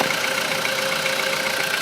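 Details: Volkswagen Polo sedan engine at cold idle around 10 degrees, constant hum with no distinct knocking rhythm; previous harsh metallic cold-start knock no longer appears after owner's fix involving ignition coils, engine sounds healthy.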